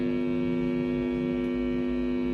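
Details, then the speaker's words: Hand-built amplifier on 220 V mains after joining the speaker ground to the tone control ground: constant, steady low buzzing hum that is unchanged, so the ground-loop hum persists. "Udah kita colokin ke arus listrik 220 volt, kita hidupin. Tuh, ada suara dengung. Masih sama."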